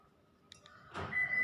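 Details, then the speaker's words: Isuzu push-start key remote after its battery was replaced: a sharp lock clunk, then a steady high chirp from the car as it unlocks the doors normally. "อ่านี่ครับก็เป็นการเปลี่ยนถ่านรีโมทของรถยนต์อีซูซุแบบปุ่มstartด้วยตัวเองง่ายๆครับ"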